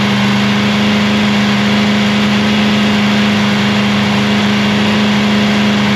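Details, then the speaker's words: Free 327 Chevy V8 held at raised idle to run in, fan on, full 10 L of fuel; lifters may rattle at first while air bleeds out. Steady, smooth fast-idle roar with no knocks, misses or rattles. Normal running. "I'm going to bring that idle right up and just let it go."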